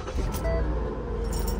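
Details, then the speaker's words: Ford Explorer towed in for a grinding noise while running, at startup: heavy rough low rumble with no clean idle, as if something is destroyed; seized alternator pulley bearing dragging the belt. "dang it sounds like something's destroyed in there hold on a second"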